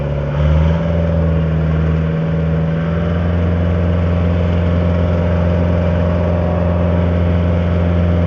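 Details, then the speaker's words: Late-1980s Caterpillar 943 track loader diesel at full throttle, driving forward downhill then reversing uphill and turning; strong steady drone at constant pitch, no knocks or misses, not bogging down; normal healthy running. "Alright, this is full speed going in forward downhill. This is going in reverse, uphill, full speed. Left or whatever, turn. Turns really well, goes uphill, like I say, full speed. It's not bogging down."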